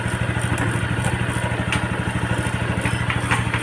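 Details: Yamaha Sight 110 motorcycle after connecting rod and side bearing replacement: quick, even single-cylinder beat at a slightly high idle, with no bottom-end knocking; engine sounds healthy, normal idle.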